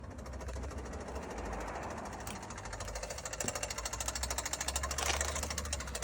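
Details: 2021 Kia Soul running: fast, fairly even ticking about three per second over the engine hum; top-end tick, cause unknown.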